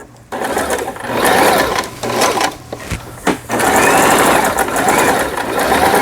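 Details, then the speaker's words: Lion Mising JS1004 sewing machine, about 20 years old, after repair of a loosened upper shaft worm in the gearbox; sewing backward and forward gives even whirring in short bursts with brief stops, no knocks; normal stitching. "이 가에 옷감이 풀리지 않도록 해주는 오버록 바느질, 또 정상적으로 갑니다. 네, 수리가 잘 됐어요."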